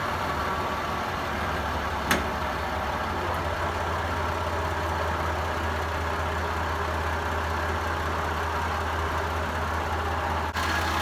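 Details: Toyota Land Cruiser 80 series after distributor O-ring replacement and tune-up: low, smooth, even rumble with steady beat, no misses or knocks; normal idle.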